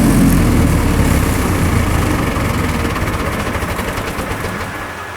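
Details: Military surplus diesel generator, revived after years of storage, under heavy overload during overload-trip testing: deep even drone holding its beat without hunting or much droop, no spurious trips; running properly.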